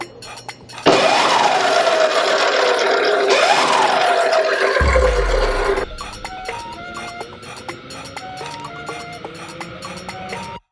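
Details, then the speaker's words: DropIN 72V electric motor conversion (30HP, replaces up to 200cc engine) on Ohvale GP 0 Mini GP motorcycle, test run after chain and sprockets fitted: two quick throttle blips with clean whine rising and falling, smooth wind-down; normal motor run-up. "So now time for a test run. We're gonna turn on the battery real quick. Turn on the bike, wait for it to load. Take it out of park and give it a rip."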